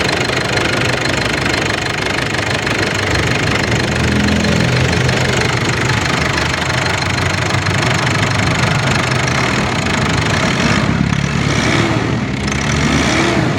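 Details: Ford Everest diesel after injectors tested and reinstalled for fuel knocking and grey smoke: typical even diesel clatter at steady idle without heavy single-cylinder knock; knocking now normal. Normal idle.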